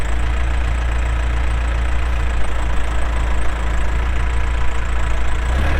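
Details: 2007 Case 580M Series 2 backhoe, 4WD, Extendahoe, pre-emissions diesel, 3,812 hours: deep, even diesel rumble swelling slightly as hydraulics take load, no knocking or misses; hydraulics strong, normal running under load.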